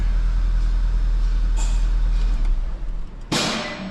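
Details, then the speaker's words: 2011 VW GTI towed in running rough and smelling of fuel; deep, uneven idle rumble losing rhythm with a sharp burst: misfire isolated to cylinder one, suspected bad injector. "If it's all of them, then I'm thinking that it's going to be a new fuel pump. But if it's just one of them, then oh, it's all in cylinder one. This thing's going to need an injector."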